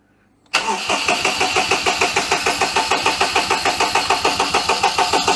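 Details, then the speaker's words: 2006 Daihatsu Charade (Cuore/Mira L251) after an engine swap, with the oil pressure light fixed: the starter churns steadily at about three pulses a second and never catches; the engine cranks with no start, and an ignition-side fault is suspected. "now something is still wrong on the ignition side but we have got the oil light"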